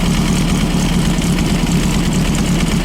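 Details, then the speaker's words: 1915cc VW Manx buggy engine with a 009 distributor, at warm idle: runs steady but fast and lumpy with a low uneven beat. Timing light on the degree pulley reads about 27.5° BTDC, radically over-advanced. Later fixed with a 034 SVDA distributor. "Now it looks like we're at about 27 and a half before top dead center. So this is radically way over advanced."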